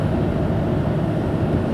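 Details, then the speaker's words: Ford Taurus/Mercury Sable over 20 years old, test drive after replacing the original lower ball joint: earlier roaring noise gone, steady even low road rumble with no speed-rising roar or hum, steering better; appears fixed. "the car is a whole lot quieter I don't hear a roaring noise like I did before so changing out that uh lower ball joint it seems seems to have fixed the problem"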